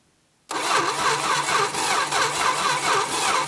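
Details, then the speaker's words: 1966 Plymouth Barracuda Formula S engine, sat for decades; steady rhythmic cranking for three seconds that never fires; one spark plug keeps getting wet and a spark check shows no spark. "nothing not getting any spark"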